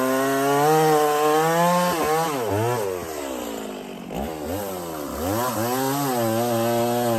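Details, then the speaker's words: Stihl 024 chainsaw after an aftermarket air filter and carb tuning, started cold without choke after sitting 1.5 hours, cutting a log: high clean whine sags under load and recovers without missing. Normal operation under load. "It sounds pretty good up high to me. Didn't sound like it was missing a whole lot."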